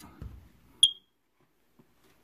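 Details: Smoke alarm with a low 9-volt battery: one short, sharp high-pitched chirp in a quiet room, repeating every 60 seconds. Low-battery warning.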